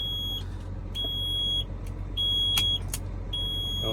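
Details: Junkyard garbage truck on a cold day with batteries under 10 V, jump-powered from a Silverado: a high half-second beep repeating about every second over a low diesel idle. This is the transmission do-not-shift warning.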